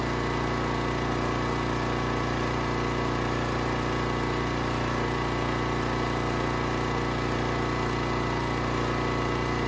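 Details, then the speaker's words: Used Champion C49055 4.5-5.5kW generator, Honda GX270-clone single-cylinder converted to propane with tri-fuel carb, warm: steady drone that swells and sags slightly; hunting, owner to check whether the valves are rusted from sitting. "see if that that stops the hunting issue but other than that uh got it it's running"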